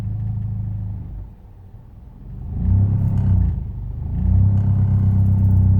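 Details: Proton Inspira engine on cold start: low, uneven, lumpy idle at about three pulses a second, dipping and rising, knocking/misfiring when cold; all okay once warmed up; cause not confirmed.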